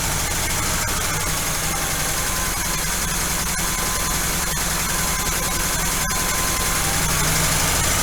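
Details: Engine idling far too high on first start after Quadrajet carburetor rebuild, idle screw already backed off; fast busy idle with faint light lifter tapping underneath, owner hopes it fixes itself after about 10 minutes running; carb needs idle adjustment.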